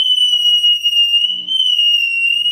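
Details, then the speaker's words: Fryette Power Station attenuator with a guitar amp: loud, steady high-pitched squeal from the transducer picking up the output transformer's magnetic field; harmless to the amp and the Power Station. "it's just a perfectly natural occurrence when operating a transducer next to a magnetic field and it won't hurt your power station it won't hurt your amplifier"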